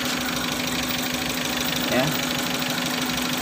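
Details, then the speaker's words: Suzuki Futura fuel-injected, at idle, already had new spark plugs and coil: lumpy uneven idle, stumbling beat, engine shaking; unplugging injector number 2 has no effect, cylinder two dead, injectors to be cleaned. "hai penyakitnya baru ketemu satu ya ini di bagian injektor nomor 2 tidak berpengaruh sama sekali"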